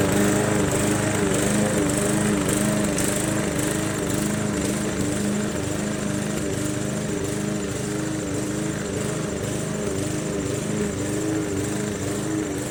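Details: MTD Yard Machines 20" push mower, Briggs 300E, cutting grass after carb clean, throttle spring adjustment and draining water from the gas tank: steady buzzing beat easing only slightly under load; normal running under load.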